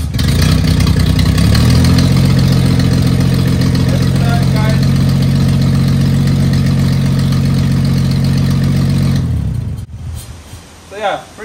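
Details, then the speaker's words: 1974 Toyota FJ40 barn find, not run in about five years, started using quick start as needed on first start: catches, brief pick-up, steady even low rumble, then clean shut-off; normal start and idle. "every time once you get it going the first time requires some quick start so let's do a little Drive see if it works"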